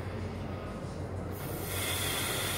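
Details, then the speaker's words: International 6.0 VT365 diesel, high-pressure oil pump leak test with IPR valve removed and shop air through a dummy block; ICP fluctuated 80–110. Steady hiss as air leaks through the turbo feed line: HPOP bypassing internally into the low-pressure side. "if you hear it coming through the the turbo feed line so that means that the pump is bypassing and bypassing back into the low pressure side of the oil system"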